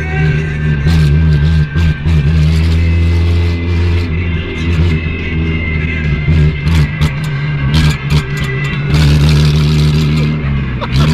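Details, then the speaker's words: 1983 VW Golf being towed, no exhaust, out of fuel and run on used oil mixed with brake fluid and coolant: very loud, rough, ragged raspy roar revving unevenly before it dies. "Boah! Hör auf, Alter, das hört sich absolut bestialisch an."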